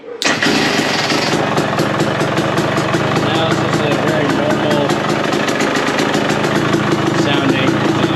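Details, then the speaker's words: 2023 KTM 250SX fuel-injected two-stroke after a new power valve actuator and fixing a backed-out bolt on the right side of the power valve; crisp, even, quiet idle with bottom-end power back. Previously loud, FI light blinking five times in limp mode. Normal idle. "it's actually quiet. So it was that backed out bolt on the right side of the power valve. That was our issue, so happy that we got that figured out and back to it now."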